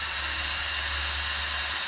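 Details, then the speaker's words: Traxxas Sledge RC truck with replacement cooling fan fitted for motor cooling: steady high airy whoosh, no ticking or rubbing; slightly louder than the old fan, running normally. "so I put the other fan in here and now everything works it's a little bit louder than before but it's not as loud as the Protech"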